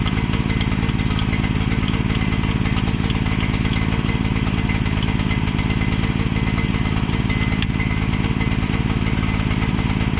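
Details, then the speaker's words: Mini excavator with pull start, bought broken from a neighbor and just repaired, left running while the track goes back on; steady, fast, heavy chugging at about three beats a second, rich and smoking because the choke was never turned off. "couldn't figure out why it was smoking so much and I realized I never turned the choke off."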